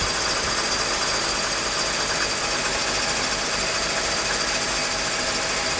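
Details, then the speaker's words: 1995 Mercedes E320, M104 engine, non-ASR, with shorting throttle-body and MAF wiring (MAF unpowered), cold start after sitting a day: steady even idle, loud airy hiss from the air pump, no misses or knocks; runs smooth. "well, as you can see, the car started right up. Runs pretty smooth. Air pump is on right now, so it's a little louder."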